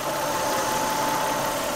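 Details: 1997 Lexus ES300 petrol V6 idling after valve and lifter replacement with valve clearances reset to near spec; it had a clicking noise before. It now idles with a steady, even hum and no clear valve ticking.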